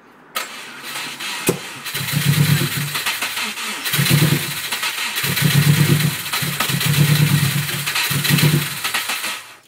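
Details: Subaru Impreza after 6 months of sitting, following replacement of the power steering pipes: repeated several-second bursts of cranking without catching before it eventually started; cause of the hard start not stated.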